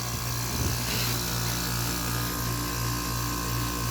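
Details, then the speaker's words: 1986 Kenmore (Whirlpool) 6,000 BTU window air conditioner, rotary compressor, after capacitor replacement and refrigerant fitting, fan between speeds: steady low hum and even fan whoosh, no knocking or cycling; compressor apparently normal, fan slightly off balance. "this compressor dying it sounds okay i think i don't really know much about rotaries i think it sounds alright"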